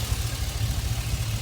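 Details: Chevy Express, rebuilt earlier, at idle while the scanner checks which cylinder misfires; it is cylinder 1, which stayed put after swapping the injector and coil. Low rumbling idle with an uneven, stumbling beat.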